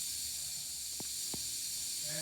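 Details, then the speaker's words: Wanderlodge RV bus with Detroit Diesel 6V92TA, engine off: loud, steady high hiss with faint clicks from terrible compressed-air leaks in the air system, leaky air valves including the PP1 valve awaiting replacement. "yeah yeah the engine's running no difference on the Teter the air Leakes in here as you can he are terrible"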